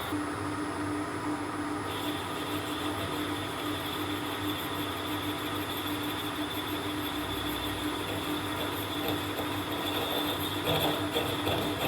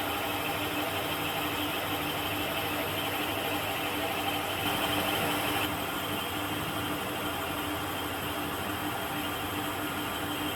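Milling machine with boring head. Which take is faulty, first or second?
first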